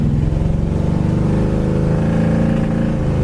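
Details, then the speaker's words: 1972 Chevy Chevelle SS with rebuilt transmission, driven through the gears under acceleration: deep pull with a faint uneven exhaust pop; suspected need for a tune-up (plugs, points, cap) or a weak cam, not confirmed; engine popping. "can just hear that pop there. It's either, like I said, tranny shifts great. The tranny's all been rebuilt. It either needs a major tune-up, plugs, points, cap, or the cam could be getting weak, guys."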